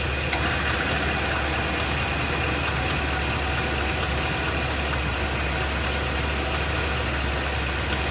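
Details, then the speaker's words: Ford F-250 with 7.3-litre Godzilla gasoline V8, idling then loaded in gear with brake held, A/C off, phone under truck: loud rumble with occasional sharp knocks; internal engine knock, cause unconfirmed, engine being replaced. "that's the noise that it was making initially then he found the TSB where you take off the uh serpentine belt and to see if the noise is still there"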